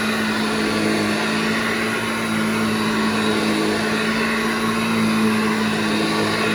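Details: Restored vintage Hoover 1334 upright vacuum, fully reassembled after motor strip-down and bearing cleaning, demonstrated running: steady even motor hum with constant mid-pitched tone and airy rush, no wobble or rubbing; normal running.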